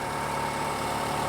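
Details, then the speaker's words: Toyota RAV4 after the steering fix, idling with the clamps removed: smooth, steady low hum with no knocks, misses or squeals; 14.08 V while running, the battery is weak and the alternator will have to charge it. Normal idle. "We have 14.08 volts while the engine is running. So this is good."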